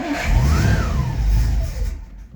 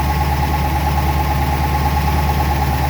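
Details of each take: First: 1963 Studebaker Avanti R2, first start after storage: the engine fires only on starting fluid, revs briefly, then dies within two seconds, not yet running on fuel. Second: 1963 Studebaker Avanti R2 out of storage, just started after starter fluid got fuel up to the carburetor: a steady, smooth low idle, no knocks or misses. This is a normal idle.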